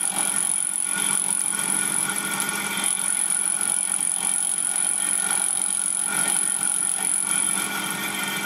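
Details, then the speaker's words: Fly cutter taking a 2 mm cut on the aluminium tailstand slide of a Gingery milling machine build: a thin steady high whistle with brief gaps over the cutting noise, the cutter just touching on its back stroke. "The whistling you'll hear is the cutter on the back stroke, just touching."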